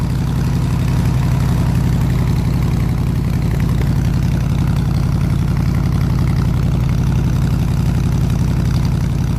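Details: 302 V8 powering an air compressor, plug wires redone, warm at 160 degrees, fuel pressure 9 psi: deep, steady low rumble with even firing, no misses or taps; smooth normal idle.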